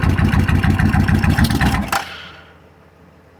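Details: Motorcycle with modified aftermarket starter solenoid (Kawasaki Vulcan type); owner suspects bad solenoid, 12 V at button but no click, new solenoid and battery ordered; starter chugs about three turns a second for two seconds, never catches, then silence: cranks, no start.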